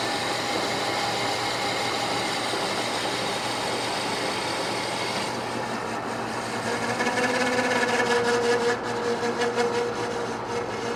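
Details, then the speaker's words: Manual lathe repair of a bandsaw wheel with worn bearing journal bore: cut turns harsh, then a thin ringing squeal comes and goes over the spindle hum as the tool chatters while cleaning up the back face. "trying to chatter on that face I was going to clean up that back face a little"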